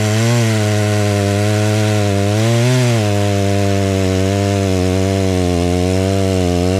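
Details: Stihl 036 just rebuilt with a new piston and head torqued to spec, tested outside: crisp two-stroke buzz rises and falls smoothly while cutting, clean throttle response, no misfire or bogging; running well.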